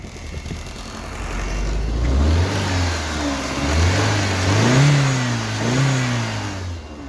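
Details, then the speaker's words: 2002 BMW E46 316 with N42 engine, just started cold after 22 attempts: lumpy, wandering revs, not running on all 4 cylinders. It then smooths out to run almost fine with the check engine light blinking, and warm restarts are fine. "Now you can hear she is not working on 4 cylinders."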